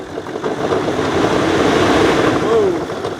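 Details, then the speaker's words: Nissan Titan 5.0L Cummins V8 diesel with 40,000 miles, blipped lightly: a rough, uneven knock under the revs, excess crankcase pressure popping the oil cap; teardown found a spun bearing that destroyed the housing. "you've got a a not a nice sound and noise in that my guess is a piston came apart or connecting rod or something like that"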